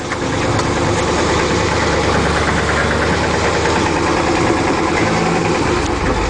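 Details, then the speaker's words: Gas Isuzu NPR 16ft box truck with a known motor problem: rough idle with a faint tapping knock riding on the engine's rumble. The engine knock is internal, cause unknown; it needs motor work. "you hear all that anyway I've got a lotta life left in it but it needs some motor work"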